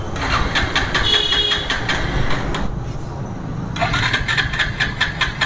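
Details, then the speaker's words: Bajaj Pulsar with indicators and lights working; starter whirs in quick bursts with short pauses but the engine never catches; crank no-start, no current coming through, no spark. "तो guys star नहीं हो रहा है हर हाल में नहीं हो रहा है"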